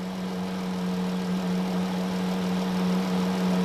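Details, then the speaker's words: 2013 Chrysler Town and Country idling with a steady low whine and a fainter higher tone from the engine bay; unplugging the alternator barely changed it, so the power steering reservoir is suspected, not confirmed. "it doesn't seem to change that much so I'm guessing it's this Reservoir over here"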